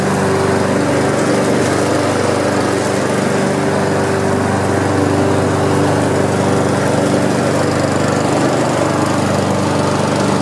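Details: Honda HRX217 mower, nearly new, stress-tested after an oil leak underneath the engine was addressed: steady engine drone at constant pitch, no misses or knocks; running smoothly.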